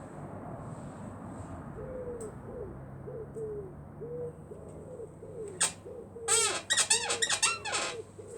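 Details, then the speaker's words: Motorcycle rear shock pushed down: repeated high squeaks about two a second with sharper chirps; owner suspects the internal shock rod. "See, it started creaking again. I'm pretty sure it is this... hair on my mouth. I'm pretty sure it is this internal rod thing."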